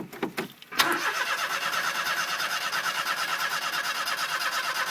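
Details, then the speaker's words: 1992 Daihatsu Hijet S83P 4x4 mini truck, 660cc 3-cylinder, 4-speed manual, unstarted for about a week on a warm day: several cranking bursts, then it catches into a quick, slightly uneven idle; unusually slow to start, cause unknown. "Haven't started in about a week, and that's odd. It's never taken that long to start."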